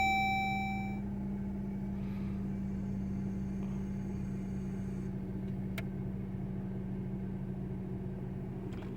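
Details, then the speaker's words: Dodge Journey 2.4 started cold after the ventilation actuator near the glovebox was replaced. It idles with a steady low hum and the earlier clicking/popping is gone; the fault was the actuator. "Bueno pues sí se corrigió la falla era el actuador"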